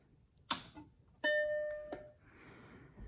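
Switch clack, then one clean chime that rings out and fades, followed by quiet fan hiss: normal power-on.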